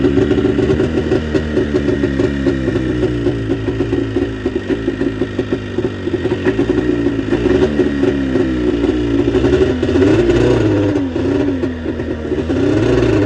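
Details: Arctic Cat JAG 3000 two-stroke snowmobile after repairs, started with key on, choke engaged and throttle cracked before a test ride: fast, wandering idle with light throttle blips, running cleanly without stumbling.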